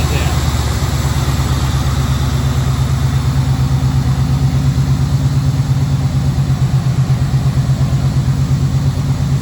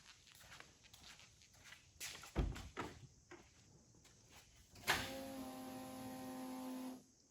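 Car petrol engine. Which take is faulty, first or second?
second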